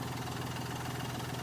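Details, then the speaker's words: Hyundai Grand i10 diesel after engine rebuild, no leaks, air filter and reservoir not yet fitted; steady even idle, low rumble, no knocks or misses; smooth, normal idle. "और अब गाड़ी का sound देख लो कितना smooth हो चुका है"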